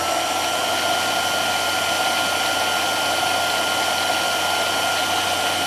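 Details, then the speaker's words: Belt-drive converted mill spindle cranked to top end under low, fully warmed up at about 2,900 RPM: smooth even high-pitched whir holding steady, no knocks or grinding; normal spindle running at top speed. "And with it fully warmed up, I'm getting about 2,900. So very close to what my old maximum RPM used to be on the low gear."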